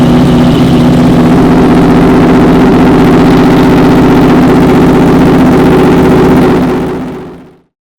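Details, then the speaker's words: Honda VFR/CBR hybrid V4 with a custom LexTek exhaust, first start after sitting a long time, following a blown-fuse wiring fix: a steady, even idle with a smooth firing beat and no knocks or misses. "right, guys, I am so stoked that this thing runs now."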